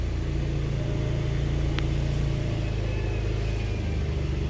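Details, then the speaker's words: 2010 Honda CR-V with P0171 lean code, idling with the EVAP purge valve hose blocked: low, even idle with steady firing; fuel trims back to normal, showing the faulty purge valve was drawing unmetered air. "and now the vehicle is running perfectly so that means the whole issue is the page valve which is not working"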